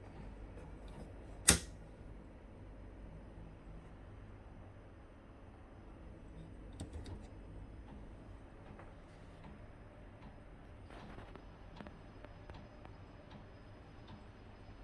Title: Aircon clicking sound